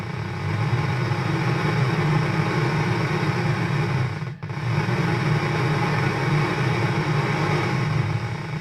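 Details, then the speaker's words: Car stereo head unit (tape player) on FM mode: loud, steady hiss and noise over a low rumbling hum with no program audio; faulty static noise. "ये आवाज़ आप सुन सकते हैं कि इसमें शोर आ रहा है बहुत ज़्यादा। ये एफएम मोड पे है, लेकिन उसके साथ एक बहुत ही अजीब सी आवाज़ आ रही है।"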